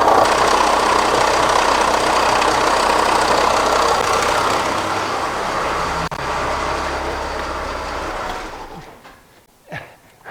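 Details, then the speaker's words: 2006 Kia Sorento with misfire codes P0300, P0301, P0303, P0305, idling: fast even rattle constant until shutdown; very loose timing belt visibly dancing and likely rattling against something, not an internal engine noise. "It turns out this noise almost certainly isn't actually internal in the engine, but more external on the timing component area. I think what we're hearing is the the belt here rattling up against something"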